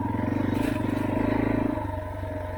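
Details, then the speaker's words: Yamaha TTR230 single-cylinder on stand after clutch adjustment, oil change and removal of metal shavings, earlier grinding noise: steady even thump about twenty beats a second, no grinding, engine and transmission healthy. "started it up with my expensive oil let it done and I did not hear any grinding noises like oh this is awesome simply awesome"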